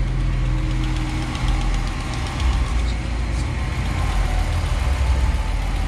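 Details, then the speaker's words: Dodge Ram 5.7 HEMI V8 at cold start idle: faint, quick ticking over a deep rumble from an exhaust manifold leak, caused by a broken stud as the manifold warps with heat; fixed by replacing gasket and extracting broken bolts. "a lot of times you can hear a ticking noise first time you start the truck when it's cold"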